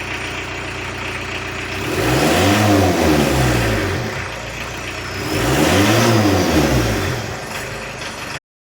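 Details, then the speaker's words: 1986 VW T25 1.6 JX turbodiesel, stored since 2017, just restarted after fuel bleeding: two strong revs rising and falling smoothly from idle, no knock or misfire, turbo clearing itself; running fine. "Sounds like a 40-year-old diesel. Nothing wrong with that. Turbo's well and truly giving itself a clear."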